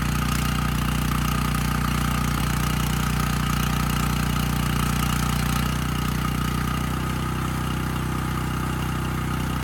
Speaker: I mean this engine's running quite well unloaded and loaded up so I'd say we're looking pretty good